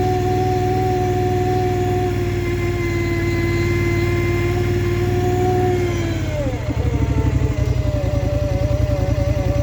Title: Scrambler xp1000 S weird noise 1